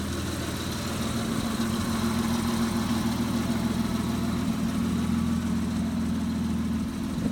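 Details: Mitsubishi 3000GT just after oil and filter change: smooth, even low rumble at idle with steady pulse, nothing ticking or knocking; healthy idle (starter noted separately as clicking, needing replacement).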